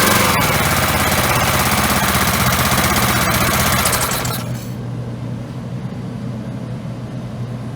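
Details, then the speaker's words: Old Briggs & Stratton single-cylinder engine (1978 per code number, size unknown) on an auction-bought hydraulic rescue pump, primed with a little gas: catches quickly, settles into an even, steady chug, then drops to a quieter run; little smoky, probably long unused; normal running. "you see that one fired right up pretty easy I just put a little gas down there and made sure I had gas in the fuel tank and it fired right up little smoky probably hasn't been running a while"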